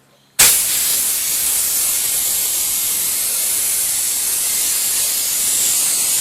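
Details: Small air compressor after a temporary pressure switch diaphragm repair using bicycle inner tube: a sudden sharp hiss of air starts and holds steady with no sputter or chatter, so the switch releases pressure properly.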